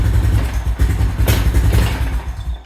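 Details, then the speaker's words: 2000 Honda Foreman 400 4x4 single-cylinder, warming up, choke position uncertain: uneven lumpy thumping that sags and dies, won't take throttle; owner suspects flooding or exhaust clogged by a wasp nest. "does not want to take any throttle at all"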